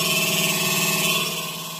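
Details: Double-door refrigerator with a loud, continuous high-pitched metallic clatter and buzz; heavy ice buildup inside the freezer is rattling against moving parts.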